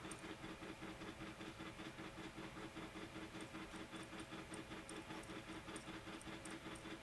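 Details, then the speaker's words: A8 3D printer running during a live print; loud regular whirring and hissing pulses, two or three per second, following the printer's moves; excessively noisy, no clear cause. "Man, my A8's noisy. I'm not sure if you can hear that, if that's capturing on the..."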